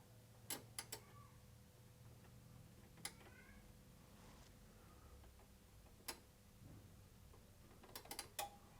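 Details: Sherwood RV-6030R A/V receiver: sharp irregular relay clicks in clusters as cables behind front board are moved, relay cutting out; cracked solder joints on front board.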